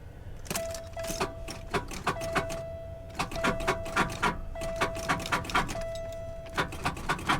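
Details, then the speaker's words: Salvage auction car on a jump start will not crank: irregular bursts of sharp clicks and a warning chime with no cranking rhythm; owner suspects a locked-up engine, not confirmed. "Okay. Well, I guarantee you we got plenty of juice going to it. That sounds like a locked up motor, guys."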